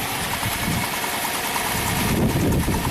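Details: 2016 Hyundai Santa Fe V6 GDI, 125,000 miles, P0018 code, blue smoke: uneven, lumpy idle with an irregular shake of about four pulses a second. Rough idle; intake cam found trailing by about 20 degrees.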